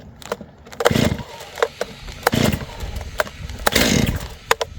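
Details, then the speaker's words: STIHL MS 271 Farm Boss chainsaw, cold start on the floor on choke: three rasping starter pulls about 1.5 s apart, third nearly catches (false start) warming the engine before switching to run. "you hear that, like that third one, like it wanted to start, but it didn't. So that just like warmed the engine up."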